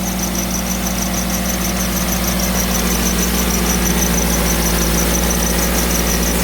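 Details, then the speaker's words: 2000 Toyota Celica idling with heater on after replacing a stuck-open thermostat: loud idle with steady high-pitched squeal throughout; owner wonders if it is the water pump, unconfirmed. "make sure the heat is on so that way we open up to the heater core is that the water pump making that"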